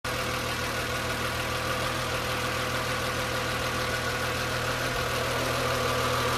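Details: BMW M3 E36 hot engine with the air pump disconnected: warm idle with a steady even hum and a faint irregular tick on top; engine noise when hot, cause unknown.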